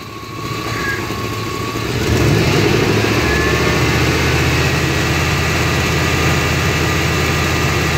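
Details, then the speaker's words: 1993 GMC C1500 5.7 V8 with surging, lopey idle and cutting out under load; with the O2 sensor unplugged (open loop) it idles with an even, steady low rumble, no surging. "okay we got the too unplugged and as you can see it's already idling better"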